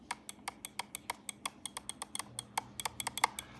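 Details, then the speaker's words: Mouse click test comparing the Logitech G303 Shroud Edition with the newer G Pro Superlight: sharp, loud clicks about 1.5 per second, unevenly spaced, in a quiet room. The G Pro Superlight clicks are judged too loud for an office, unlike the G303's. "uh you cannot use this in an office environment I'm telling you guys right now this is not going to work in an office environment it's just way too loud"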